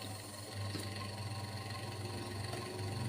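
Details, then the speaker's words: Washing machine spin-dryer motor test-run after repairing its broken, water-damaged winding, with the splice still unwrapped. Strong, steady low hum, even drone, no knocks or scraping; very powerful, cannot be held back by hand. "Oke, sangat kencang, kita tahan, nggak ketahan ya. Keras sekali, nggak ketahan."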